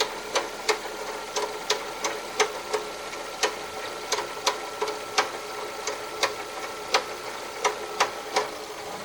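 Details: Car with the warning light on and an immediate oil change/service due: sharp, fairly regular ticks about one and a half per second over a quiet engine hum; engine knock of unclear cause.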